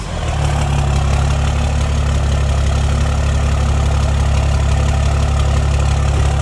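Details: 2008 Cummins diesel, first start after rebuild with a fresh engine following major engine failure, oil pressure about 70 psi: smooth, deep idle with a steady beat about three per second, no knock or rattle, purring healthy.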